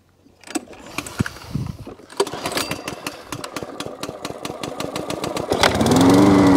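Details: Job-lot Hyundai lawn mower left overnight with nothing done to it, fuel in the tank, pull-started; chuffs catch into an uneven fast putter of about four beats a second, rising briefly before the engine fails to settle. Starts then stalls.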